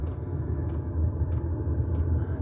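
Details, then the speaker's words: Diesel air heater on 240 V mains, first start this year, fuel pump ticking rapidly to prime it; after the glow plug warm-up the fan spins up with a smooth, even low roar and the burner lights. Normal startup and running. "Yeah, there you go, the fan's going. You hear a little roar as the like the turbine goes round."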